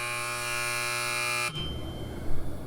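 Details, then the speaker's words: CDF twin coil diver water heating system with water pressure turned down; loud steady buzzing tone for about a second and a half, then it cuts off as the unit trips on low water flow; primary trip alarm. "just tripped out when I cut that water flow down all right a primary trip the water should still be flowing through the system"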